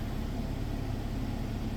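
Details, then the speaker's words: 2023 Kia Sportage SX at 48,000 miles, first start after an oil change, new oil circulating, hood up; smooth, even low hum at steady idle, no knocks or ticks. Owner noted a brief knock that went away; normal idle. "First start after an oil change, it's always good to kind of listen to the engine. Listen to how it sounds with that new oil circulating."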